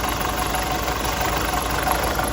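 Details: Nissan X-Trail with starting problems: idle steady but slightly lumpy and uneven; timing chain suspected to be slightly out of time.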